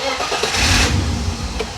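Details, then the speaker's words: BMW E30 325i with turbo M20B25 engine, after changing ECU ignition dwell setting to one millisecond; brief crank catches almost immediately into steady idle, no extended cranking, starts much quicker than before. "okay so that made a difference definitely that i don't have an extended crank it seems to definitely start off a lot a lot nicer a lot quicker with that one"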